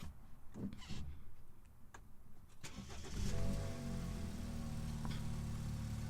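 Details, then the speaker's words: 2013 BMW 328i during a pre-purchase inspection, cold start checking for a sluggish battery while cranking. Brisk cranking, clean catch, then steady slightly raised cold idle just over 1,000 RPM; nice healthy normal cold start. "Good. So that was a nice, healthy start. Sounded pretty normal to me."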